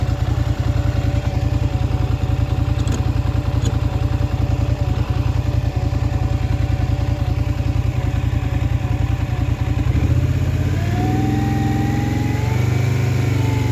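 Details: Polaris Scrambler XP1000 S at low idle with an uneven clatter pulsing about twice a second, then a rev blip; weird abnormal engine noise, cause unclear.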